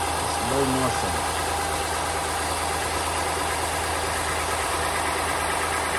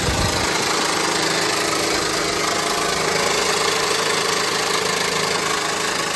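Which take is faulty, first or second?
second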